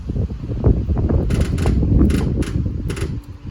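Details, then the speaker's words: 1972 VW Westfalia bus being checked for a seized engine. With 12 volts applied, quick, steady clicking a few times a second over a low hum: the electric fuel pump is getting power and trying to run. "I can hear the fuel pump clicking, so that's a good sign."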